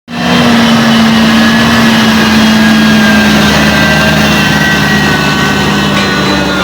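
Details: John Deere 7J-series tractor (7195J) running at steady speed: constant dry rubbing hiss and faint whine over engine; rubbing noise, source unconfirmed; tractor also has front transmission seal leak.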